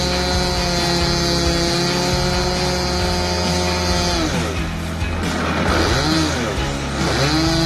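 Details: Skyline MX2 model plane with an OS .55 AX glow engine, first start after 3 years' storage (fuel emptied, after-run oil used); high buzzy note climbs and dips cleanly with throttle, running smoothly.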